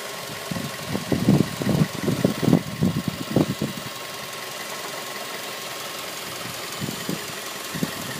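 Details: 2006 Mazda 3 engine at idle: uneven knocking bursts, about two or three a second, over a steady idle; the cause is unknown.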